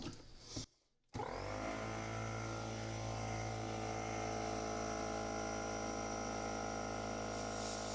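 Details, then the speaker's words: DeWalt air compressor after replacing the leaking drain valve (N286039): steady even motor drone at constant pitch, no air hiss, now shutting off at 150 PSI; no leaks at hoses or elsewhere, running normally. "No tiene ninguna fuga ni en las mangueras ni en ningún otro componente. Entonces considero que el equipo todo ya está funcionando bien."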